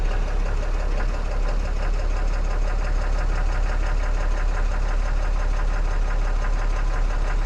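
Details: 2014 Ram 6.7 Cummins diesel after installing a CAT 1R-0750 fuel filter on an aftermarket housing, primed to about 10–11 PSI. Steady, even diesel clatter at an unchanging speed with no misses or stumbles; normal idle.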